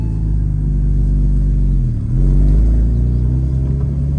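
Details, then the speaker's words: 2003 Porsche 986 Boxster S after removing secondary cats and fitting lighter, less restrictive pipes, heard from inside the car: steady low idle rumble with one brief dip, previous idle rattle gone. "right off the bat no rattle which is fantastic because uh it's primarily where I would hear it is at idle"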